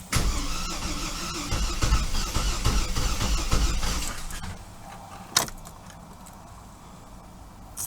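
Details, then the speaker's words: 2005 Chevy TrailBlazer 4.2, towed in after stranding owner: steady, healthy-speed starter cranking for about four seconds without catching; battery seems strong and it acts like it wants to start; crank-no-start under diagnosis. "so it acts like it wants to start so that tells me a couple of things"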